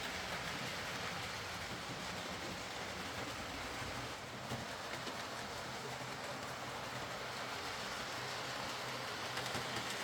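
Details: Hornby R.372 Class A4 "Seagull" tender-drive model loco after repair (excess axle oil cleaned, wheels cleaned; valve gear noise): soft even whirring hiss with faint rail clicks, no stutter or grinding; running fine and quiet.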